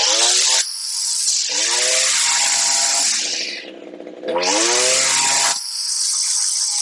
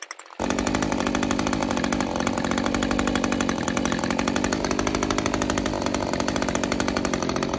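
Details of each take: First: Older Echo string trimmer, two-stroke, new HiPA replacement carburetor after tuning: snaps up to a high scream on each full-throttle blast, then drops cleanly back to idle without stalling; carburetor set right. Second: Older Echo string trimmer two-stroke with new HiPA replacement carburetor, full throttle while tuning high-speed screw: buzz climbs then sags as screw turned in too far, too lean; backing it off restores rpm.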